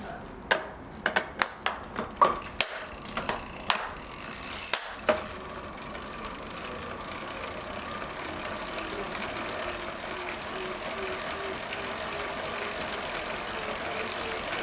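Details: CYCPLUS T2 smart bike trainer with BLDC motor: after a few sharp knocks, a smooth steady electric motor hum with a faint pulsing tone settles in; normal motor running sound.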